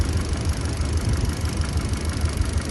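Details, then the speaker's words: 2014 Kia Picanto at idle with codes P0011 and an O2 sensor bank 1 sensor 1 fault: lumpy, uneven idle with irregular thumps and gaps. Cylinder 2 is misfiring, and its spark plug was then replaced. "طيب لو ملاحظين العربيه ما صافيه فيها رته واضحه"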